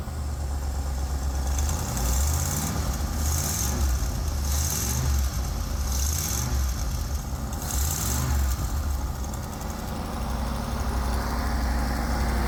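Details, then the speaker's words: 1979 Ford E-350 Chateau RV V8 at idle after repairs and light tune: steady low rumble with faint puffing chuff; major exhaust leak at the heat tube, still to be fixed. "sounds pretty good I got one spot I got a fix so I notice there's a major exhaust leak on the tube that heats it"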